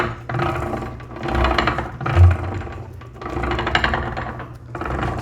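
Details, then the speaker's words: Hercules Model S engine during assembly, timing gears run dry and turned slowly: harsh rasping grind on each turn as the gears mesh too deep; lifting the gear within bearing play stops it, and a wandering bearing had worn the block. "with a dry it's really loud so I got everything dried off but I noticed if I lift it up a tad with the bearing play our noise is gone"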